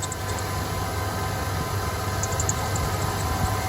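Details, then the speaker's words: 1988 Ford E150 Econoline van, 4.9L engine running: constant dry whirring roar with a faint high squeal, worse when the pulley is touched; idler/tensioner pulley identified as the source, probably its bearing, outer surface worn; to be replaced. "that is the one making the noise so I guess we need to get that off yeah it's probably the bearing inside"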